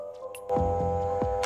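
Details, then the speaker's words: Drill press motor switched on with no load: loud steady electrical hum with no spin-up because the worn, blown start capacitor has failed; runs normally again once the capacitor is replaced. "lihat cuma hanya dengung tidak bisa mutar itu Masalahnya biasa sangat sederhana sekali nah ini kapasitornya sudah aus Lur ya sudah jebol Lur"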